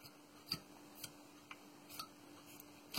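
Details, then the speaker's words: Previously seized HP Z400 chassis fan, after removing the cap and oiling the spindle, spins down freely with light irregular ticks about twice a second over a faint steady tone; bearing now turns without binding. "J'ai mis de l'huile à l'intérieur. Et maintenant vous allez voir que ça tourne déjà nettement mieux qu'au début."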